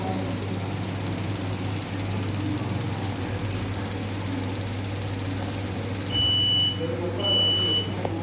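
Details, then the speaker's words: Kitchen gas pizza oven, after the jet was cleaned and refitted: rapid, steady spark ticking for six seconds with no flame catching; burner still won't light by its own spark or a lighter, though gas reaches the pipe nut. "لیکن یہ still ابھی تک وہ burner جو ہے وہ آن نہیں ہو رہا، نہ ہی اس کے اپنے سپارک سے آن ہو رہا ہے اور نہ ہی لائٹر سے آن ہو رہا ہے۔"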